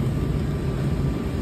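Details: Pitco SG14 gas fryer that would not light, running after repair, with oil filled: steady low burner roar, even unbroken rumble, no popping or sputter, burner lit and running normally.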